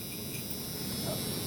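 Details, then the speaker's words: 1986 Ford F250 bullnose truck, ignition on during window switch install: steady, even low hum with light airy whirr of the cab blower fan, no rattle or squeal; fan running normally. "you can hear the fan on the truck running so I have the ignition on"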